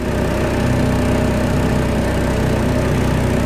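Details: Two-stroke outboard on the water, running on normal premixed fuel before the WD-40, jet and Seafoam tests: a loud, buzzy idle with an uneven rattly edge, running rough and shaking at low speed; cause not confirmed.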